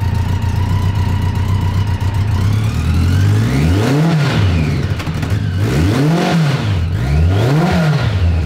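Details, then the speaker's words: BMW K100 1000cc four-cylinder in custom trophy kart after all four spark plugs changed: smooth idle then three clean throttle blips without misfire; running fine, better. "yeah sweet dude it still runs yep so uh better"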